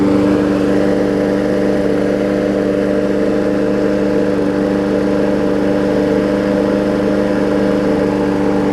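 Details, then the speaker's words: Briggs & Stratton Quantum push mower after saved, cleaned carburetor and resealed; old air filter still on. Running really good: steady, even drone at constant speed without surging or hunting. Normal running. "Running really good now, which is a good thing."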